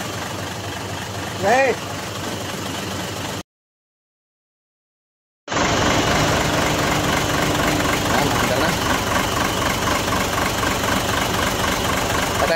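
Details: Mitsubishi 6M70 diesel after injector work for hard starting: starts and idles with steady diesel clatter at about four pulses per second, no stumble or miss, normal idle.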